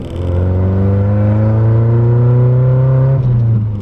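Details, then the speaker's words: Car after replacing its old NGK V-Power spark plugs with NGK G-Power plugs, on a cruise under increased throttle. The engine pulls cleanly with revs climbing evenly and no stumble or popping: smooth acceleration, no misfire. "okay that does sound a lot better and it does if i if i were to put like put my foot on the gas a little bit more uh yeah you guys can it does have power so not bad not bad"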